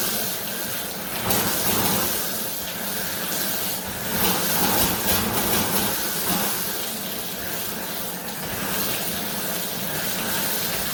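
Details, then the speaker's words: Water hisses and spits unevenly at the fixture, surging and sputtering with air throughout a home inspection; the well is air-bound, sucking air into the system. "Sounds like the well is air bound a little bit."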